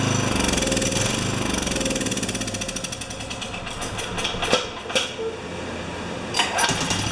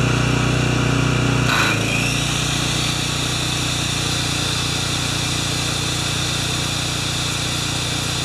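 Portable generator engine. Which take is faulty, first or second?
first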